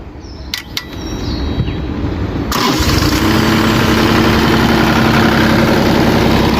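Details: Kubota KX033 mini excavator with a no-start caused by gelled, slimy diesel from the tank clogging the fuel filter; after cleaning the water-separator filter it cranks briefly, catches at about 2.5 seconds and settles into a steady, normal diesel idle.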